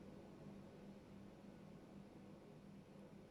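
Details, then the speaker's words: Listening through a parquet floor in an area a thermal camera had flagged: a faint, steady, rhythmless rushing hiss of water escaping from a burst pipe under the parquet. The location is judged near-certain, pending removal of the parquet. "Yeni bir su kaçağı tespitinde dinleme yapıyoruz Termal kamerayla da baktık bu bölgede görünüyordu bu parkenin altında olduğu için biraz Biz Zorlayacak Ama Allah'ın izniyle bulacağız var yani sesi algılıyorum burada"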